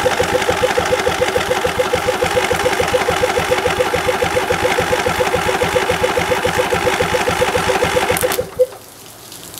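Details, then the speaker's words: Rebuilt 2002 Briggs & Stratton Intek I/C 20 HP (407777-0167-E1) on test run: starter churns about three and a half compressions a second for eight seconds, never fires; owner suspects the fuel shutoff solenoid isn't letting fuel in despite clicking. "home. Start to draw on the left. Thus, maybe our shutoff solenoid is no good, which is possible. I do hear it clicking, but maybe it's not letting any fuel in."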